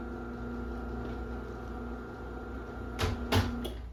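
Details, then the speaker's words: 2010 Chamberlain Whisper Drive 248739 1/2 HP belt-drive garage door opener, 120 V AC motor: soft steady hum with faint even whir and a couple of light clunks; quiet, healthy operation. "Yeah, and this thing is unbelievably quiet. Most of them are pretty quiet. I lucked out and got a really quiet one."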